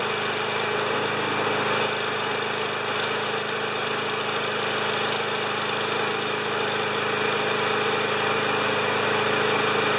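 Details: 29-year-old Rally electric-start mower, little gas added to tank, pumped a few times: loud but steady small-engine drone holding constant speed, firing evenly without stumbles or surging; runs fine though not quiet.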